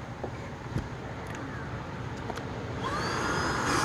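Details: Tineco Pure One vacuum with clogged filter, before cleaning: motor runs with strained whine climbing in pitch over thin rushing air; clogged filter restricting airflow.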